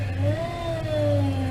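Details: 2004 Toyota Tundra, about 215,000 miles, lost power steering; engine revving with a wavering moan rising and falling with revs from the failing power steering pump, no better after purging fluid, pump to be replaced with rebuilt unit.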